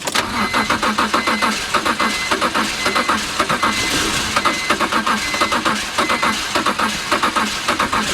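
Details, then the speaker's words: Salvage car at auction listed with mechanical damage, with coolant erupting from the cooling system: uneven chugging that never settles. A blown head gasket is suspected, with compression pushing into the cooling system. "gasket she's not happy dang hey just trying to get it to run is uh well okay"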